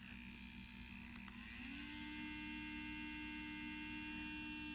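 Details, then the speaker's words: MelodySusie cordless nail drill at lowest of three speeds: thin steady motor whine settles after a short climb, even with no rattle or catch; normal running. "so you just press this button one that's what it sounds like at the lowest speed"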